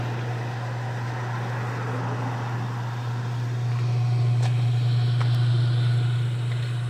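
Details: Washing machine after pump replacement, drum spinning: steady low hum and even drone with no grinding or knocking; the spin cycle sounds healthy.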